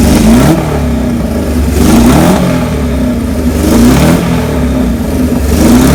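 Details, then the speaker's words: 1978 Kawasaki KZ1000A four-cylinder, believed original miles, estate bike, maiden hot-wired startup with small gas leak: fires and revs in repeated swells about every two seconds, settling between blips, no knocks; normal start and revving. "this is the maiden startup job we've not heard the bike run yet Kenny's okay he's gonna hot-wired here"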